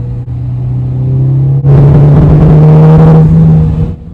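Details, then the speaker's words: Jeep Wrangler with a misfire traced to the cylinder three coil pack, confirmed when the misfire moved with the swapped coil, check engine light flashing: a deep idle turns choppy into a machine-gun-like stutter with revs. Recorded before coil replacement. "hopefully pick that up it sounds like a damn machine gun now the check engine light's flashing"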